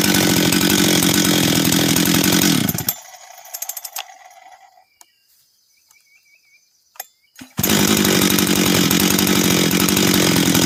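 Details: Husqvarna 385 chainsaw, first start after reassembly, first heat cycles: strong steady two-stroke howl cuts off, quiet a few seconds, then picks straight back up evenly; starts and restarts easy, throttle response good — normal running.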